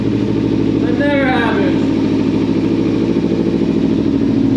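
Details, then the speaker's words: 2014 Kawasaki Ninja 300 sat about 8 months with a dead battery, fuel pump primed, in neutral: fires instantly and settles into a steady, even, smooth idle with no knocks or misses. "let's see if it cranks oh man look at that it fired up instantly"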